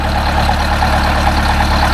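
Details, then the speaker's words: Detroit Diesel 8V-71 idling after a new, lighter starter (part 6924N) was installed: steady, deep, even drone with a fine regular beat, no knocks or misses; healthy idle, owner reports no trouble. "boy howdy it sounds beautiful I have never heard that say sounds like that when it was starting up so it's not having any any any trouble at this time"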